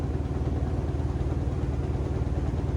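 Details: Carrier rooftop air conditioning unit, noise reported from the ceiling: deep steady rumble with a fast, even throbbing wobble felt as room vibration; blower wheel had thrown a blade, causing imbalance, fixed by replacing the blower wheel.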